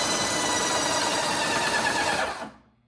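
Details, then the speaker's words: Graco Magnum ProX9 airless paint sprayer after repair of a no-prime fault, switched from prime to spray. The pump runs with a steady busy buzz for about 2.5 seconds, then fades out as pressure builds; it stalls at pressure normally. "There you go. She went up to stall. Let's take a look at the pressure and see where we're at."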